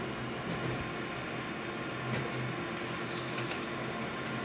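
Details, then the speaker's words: Konica Minolta copier, about three months old, running a copy job: steady mechanical whir with a thin, recurring low-pitched squeak over the feed noise; source undetermined. "and that squeak is really getting annoying so folks this machine breaks don't be surprised"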